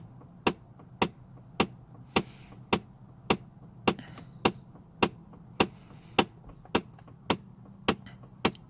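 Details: Chevy Trailblazer/GMC Envoy with air only from the windshield vents; sharp ticks repeat under the dash, close to two per second over a quiet idle; cause confirmed as a faulty HVAC blend door actuator under the dashboard.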